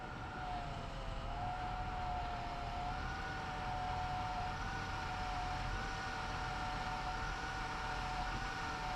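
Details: 1996 Chevy Lumina, cold: a steady mid-pitched whine over the engine that shifts slightly as the wheel turns. It is from the power steering pump and is less bad than before.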